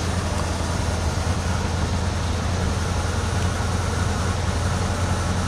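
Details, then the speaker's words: 1986 Dodge W150 Royal SE 4x4 truck, about 161,000 miles, recently tuned up: steady, even low rumble at idle with no knocks, misses or surging; engine idles smoothly and healthy. "Runs pretty good. Starts fairly easy."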